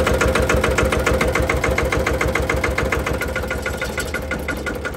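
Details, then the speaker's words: Single-cylinder Lister diesel on a Benford TS25 radial swing concrete buggy, key-started out of gear with parking brake on, old leaking tractor tires. Loud, even thumping about three and a half beats a second, steady rhythm; healthy normal running. "And it's a single cylinder Lister diesel. It's gonna get really loud, listen."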